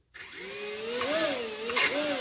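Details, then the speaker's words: HobbyKing EZIO 800 electric RC glider motor on a ground test after ESC throttle calibration: wavering high-pitched screech over the motor whir, intermittently skipping and stuttering; calibration did not help, so the ESC is deemed defective. "not always but intermittently doing it it's skipping from time time it's not doing as bad but it's still doing"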